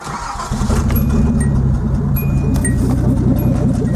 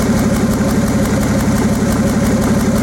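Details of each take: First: Nissan 280ZX Turbo with about 200,000 miles, warmed to around 180-195°F: lumpy, stumbling chuffing idle like an old steam engine and the engine shakes; cylinders 1 and 5 injectors cut out when hot, probably number five. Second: Nissan 280ZX Turbo, listening through a screwdriver held on an injector solenoid: crisp, even ticking, about three clicks a second, so this injector works normally; number five is silent.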